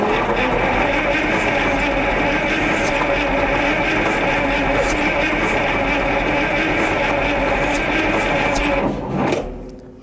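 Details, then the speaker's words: Onan 140 WE generator, 884 cubic inch V8, first start attempt: sluggish labouring starter churn about four turns a second, sagging then stopping; weak battery suspected, too slow to fire. "I was hoping that battery have some more energy in"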